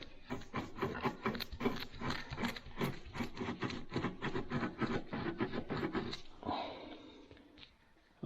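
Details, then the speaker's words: Kubota BX23S snowblower drive unit on the bench, shaft turned by hand: a rough, gritty grinding that brings the shaft to a stop, a failed pillow block bearing with a broken seal. "very grindy it actually comes to a stop yeah that's the problem it's one of those two bearings"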